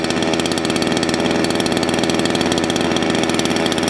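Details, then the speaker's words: Salem Master chainsaw carburetor adjustment: the low-speed jet is leaned out too far, giving a fast, crisp buzz too high for idle that loses top end, and the chain creeps; idle needs adjusting until the chain stops. "if you noticed when i leaned it out a little too far it sounds like sun's getting really happy but actually it won't have as much top end and you notice the chain started to move"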